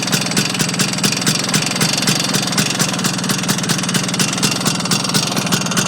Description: Vespa Engine has developed knock, doesnt seem to be related to gears or clutch as makes no difference when clutch is pulled in or what gear is selected, would it be engine bearings?